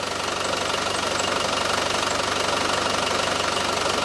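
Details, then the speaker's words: Land Rover Defender 300 TDI diesel after engine swap, new timing gear and belt: even diesel clatter at idle, no knock, faint front pulley squeak from rust on bottom pulley; runs well, quieter than old engine. "So, it runs as sweet as a nut now. It's dead silent."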